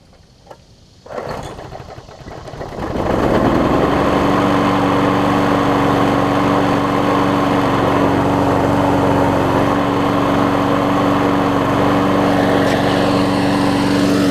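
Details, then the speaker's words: 22-year-old 5hp Briggs engine fitted to a 2014 Weed Eater push mower deck, final start after cleanup. It catches after a brief crank and settles into a smooth, steady, even buzz, running normally. "Very good, gonna be a very good lawnmower here."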